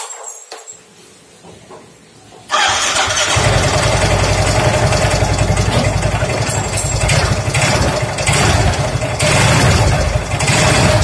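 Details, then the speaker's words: Yamaha Mio M3 125 scooter idling with the CVT cover removed, noise unchanged after CVT inspection: steady idle with a dull knock deep in the engine; mechanic's diagnosis is worn connecting rod big-end bearing. "Jadi fix masalahnya ada di dalam mesin Di tengah ini suaranya pasti kalau analisa saya di stang seher dan lahernya yang kena"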